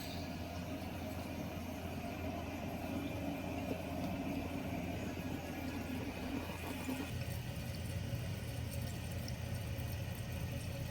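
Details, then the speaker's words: After replacing the Fluidmaster 400A fill valve (and flapper) on a toilet that squealed and kept running, a steady low rush of water refills the tank and stops cleanly at the right level, no squeak or whistle. "as you can see the water stopped at the right level it's not overflowing there is no squeaking sound like you used to"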